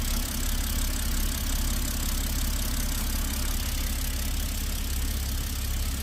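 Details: BMW 528i with N20 engine after replacing the cylinder 3 ignition coil for misfire code P0303; the engine idles smoothly and evenly with a steady low hum and no stumble: normal idle after repair.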